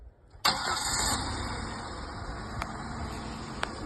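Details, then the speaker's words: Chevrolet Monte Carlo after a crank-no-start repair: water was found in the fuel, the lines were flushed from tank to rails and return, and 93 octane plus gas treatment were added. It catches on the first crank and settles into a steady, even idle. "Ran great when I got all that flushed and everything out and got that 93 in there. And I actually put some gas treatment in there, too. And it ran like a perfect kitten."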